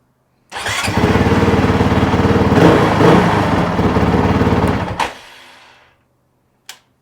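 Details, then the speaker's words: Honda CRF450RL, restarted hot after a 12-mile ride to try to recreate the no-start: the pump primes and the engine catches at once, settling into a steady, even thump before shutting off cleanly; normal hot start, fault fixed. "see if I can recreate the problem Prime and Prime right up priming"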